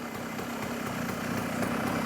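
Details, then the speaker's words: Genuine Stella two-stroke scooter after carburetor rebuild, idle and mixture screw adjustment, stock jetting: light buzz picking up smoothly and louder with no stumble or dead spot; clean and healthy. "sounds pretty good to me no dead spot"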